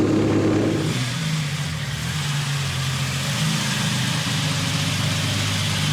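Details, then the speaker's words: 1964 Ferrari 250 GT Lusso after full restoration, on its first run after about 25 years laid up in storage; smooth, even idle with a steady low burble, no ticks, knocks or hunting; gauges good, engine sounds tight and stops dead at shutoff. "You can hear that the engine's still tight, that it just stops dead like that."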